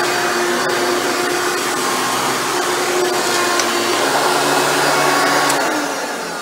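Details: Hoover Elite upright vacuum test run after motor rebuild with new motor bearings: smooth constant high whirring roar, no grinding or rattle; runs much better than when acquired.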